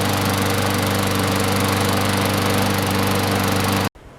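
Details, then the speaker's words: Sears Craftsman lawn mower, model 917.370610, on its last start after washing, an oil change and oiling the sticking wheels and gears (air filter not yet replaced): steady, even buzz with no misses or knocks, then a clean cut-off; normal running. "So let's give it a last start. Much better, looks better."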